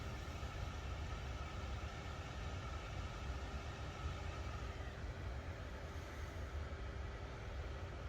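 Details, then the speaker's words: Newly installed ARB Twin on-board air compressor on a 2020 Jeep Gladiator Rubicon, just reached pressure: soft steady hum with faint constant whine, no wobble, rattle or scraping from its cooling fan. Normal cooling fan running. "There we go. We're up to pressure. Check for leaks. You can hear the fan"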